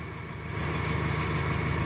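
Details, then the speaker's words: 1995 Subaru Legacy LS wagon after sitting nearly 3 years: smooth, steady low idle with an even rumble and no ticking or knocking; much quieter than it has sounded in the past. "If you hear the engine, it sounds much quieter than it has in the past."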